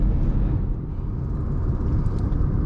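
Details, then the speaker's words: Manual car in fifth gear: even low engine and road rumble with no labouring or knocking; normal cruising in fifth gear. "जैसे ही यह 60 तक पहुंचेगी, मैं इसे पांचवें गियर में डाल दूंगा।"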